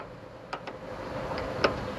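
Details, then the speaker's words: Honda with a D15B engine that won't start: at key-on only a couple of sharp relay clicks, then silence with no pump hum. The fuel pump isn't priming and was found faulty. "รับถ้าเงียบน่ะทำติ๊กไม่ทำงานครับผม"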